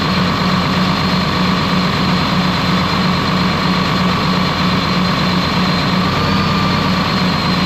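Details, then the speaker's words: Ex-US Army Cat D6R bulldozer, 822 hours, valve cover loosely on: loud low diesel drone with uneven lumpy beat about once a second; running rough, cylinder cutout test shows number 6 injector not reacting. "So things still running rough. It's kind of hard to do with the camera and everything, but it's killing each individual cylinder."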